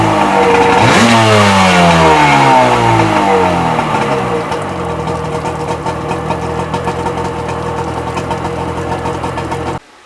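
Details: Sea-Doo XP 720 two-stroke, freshly rebuilt, driveway test on flush hose with pump disconnected; sharp throttle blips falling cleanly back, then steady even idle with no misses: normal revving and idle.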